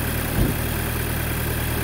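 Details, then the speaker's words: VW MK5 GTI after N80 purge valve replacement for purge flow error: steady, even idle hum with smooth low rumble, no knocks, misses or hunting; engine running cleanly. "back together now and start it up smoothly no issues no errors just a nice it's clean and smooth thanks guys"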